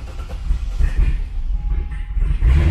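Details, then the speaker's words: Corvette Z06 with new Texas Speed heads and cam, late-night startup tuning: lumpy, uneven low rumble, idle hunting and stumbling after start, rougher than before; timing and startup tune still being balanced. "even rougher than what it's been doing so uh it's just fighting me on Startup it's always a uh a balancing act with timing and everything else"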